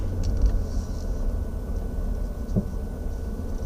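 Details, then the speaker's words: 2014 Dodge Durango Citadel Hemi AWD driving over light bumps and garage lip, low road rumble in cabin with dull isolated clunks; owner suspects sway bar links, replacing them. "what is going one is it has like a clunking noise when you go over like light bumps"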